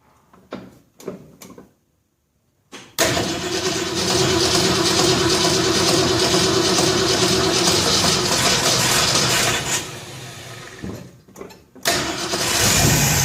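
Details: 1966 Ford F100 cold start after new plug wires, carburetor not set, timing roughly 10 degrees, cam not yet broken in: starts on choke, fast fairly even idle about seven seconds then shut off; rough untuned cold start.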